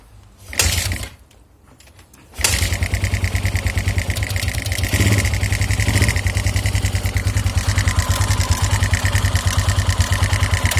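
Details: 2009 KTM EXC 450 single-cylinder starting and idling with an irregular metallic "tick tin tin" over a regular clack, which the owner thinks is the cam chain tensioner. The tick sometimes stalls the engine and mostly fades once warm or with throttle. The owner doubts it's the rod; oil level is OK.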